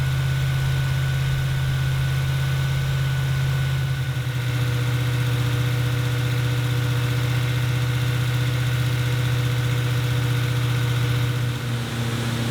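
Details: 1977 Ford F-250 460 V8, cold start at the end of the initial break-in, timing set to 10° BTDC. Even, steady fast idle with a smooth low rumble and no knocks or misses: normal fast idle.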